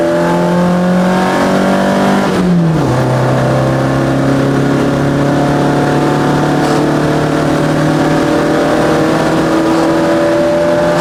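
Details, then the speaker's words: Chevette on Keihin CV motorcycle carbs, test drive at wide open throttle: pulls hard through the gears, then drones flat at high revs; AFR around 9, super rich, main jets overjetted after drilling 135s out to roughly 160. "good. It was super rich. I mean, we were like pulling a 9 in our AFRs under wide open throttle, so I definitely overjetted the carbs."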